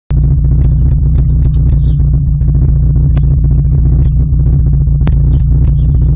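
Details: Rover 200 BRM petrol engine with a steady low note, an uneven, slightly lumpy beat and an occasional stumble; owner suspects a slight misfire, cause not yet found.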